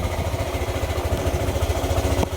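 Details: Yamaha YTX 125 single-cylinder motorcycle, normally fitted with a sidecar, idling after misfire was fixed; even steady thump, no skipped pulses; runs cleanly but still won't move in gear, clutch problem suspected.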